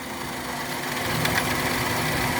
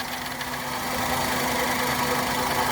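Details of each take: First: Maruti engine at idle during misfire diagnosis with injector number one deliberately disconnected: steady idle with a slightly uneven, lumpy beat, no clean rhythm, one cylinder not firing. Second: Maruti petrol engine during misfire diagnostics after fault corrected and part refitted; idles steadily with an even hum, all cylinders firing again, no trouble codes, normal idle.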